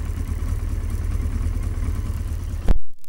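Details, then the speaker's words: Yamaha XJ900S Diversion after its final fix, left to warm up after starting: at first it sounded like it was trying to stall, now a low, fairly steady idle burble with slight unevenness settling as it warms, then a handling thump. "Sounds a bit better."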